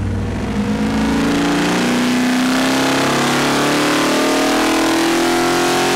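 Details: Ford 427 stroker V8 on Boss 351 block, after break-in on engine dyno, first wide-open-throttle pull (about 571 hp, 567 lb-ft): steady hard-pulling roar climbing smoothly, no misses or knocks; healthy full-throttle pull.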